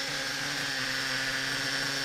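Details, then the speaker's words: Reds R5 nitro RC engine running indoors with drivetrain spinning, 3/8 fuel injection line on the pipe (owner wonders if it restricts breathing): high steady buzzing whine, no knocking or chirping; earlier "chipmunk" noise gone, normal running. "so hey man I don't hear that noise man foreign [Applause] I don't hear that noise so I'm gonna say that this red zigen can get"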